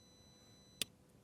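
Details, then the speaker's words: 1993 Yamaha Big Bear 350 4x4 that won't start, starter solenoid tested off the bike: one sharp crisp click when the starter button is pressed; solenoid pulls in and works normally. "You can actually hear the the solenoid clicking on. And it is working."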